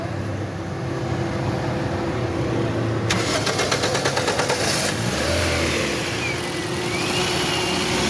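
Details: 2017 Toyota Corolla after the faulty fuse and ignition coil were replaced, now running steady and even with no stumble or missed beats between light blips; the misfire is fixed and it fires cleanly.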